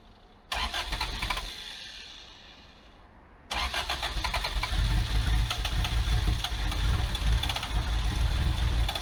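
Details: Abandoned Toyota AE86 with carburettor, after plug change and timing bumped back a few degrees: two bouts of steady cranking with no catch; cranks without starting, suspected carburettor or vacuum leak (PCV, brake booster hose) unconfirmed.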